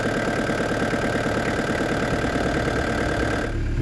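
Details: Restored diesel camper van with a new radiator, idling after a road test at up to 80 km/h. Steady clatter with an even, regular beat and no knocks or misses. A slight diesel seep is seen at the pump; owner suspects a leaking seal.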